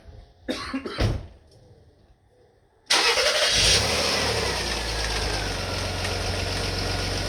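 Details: Rover KV6 just after oil change with 10W-40 semi-synthetic: starts and idles with fast light ticking rattle on top, like worn tappets; owner suspects failing inlet manifold variable-intake valves/actuator, unconfirmed.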